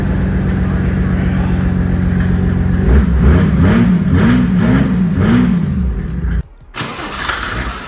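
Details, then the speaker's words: 1973 Datsun 240Z with a Mercedes OM606 3.0L straight-six turbo diesel, started after glow plugs and crash repairs: catches after a short crank and settles into an even, steady clatter at idle. Runs clean and healthy. "Started right up. Right? Sounds good."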